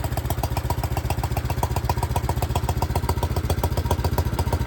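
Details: 1972 John Deere 110 garden tractor single-cylinder after a hard start: thumping at roughly 220 beats per minute with a sharp clattery edge on each firing, running unevenly; owner believes a blown head gasket, not confirmed.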